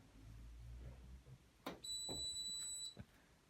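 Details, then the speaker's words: Hotpoint HTB721 washing machine under test on a 40° cotton cycle: the motor hum stops, then high-pitched house alarm beeps. The power tripped on an electrical fault somewhere, possibly not the motor; unconfirmed. "beeps i like to go off in the house right there is a fault somewhere"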